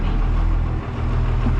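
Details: Freightliner/Thomas school bus with 24-valve Cummins diesel, parked 5 months over winter: cold start, then deep, steady low rumble with an even beat at idle, no knocks; fires right up and settles smoothly.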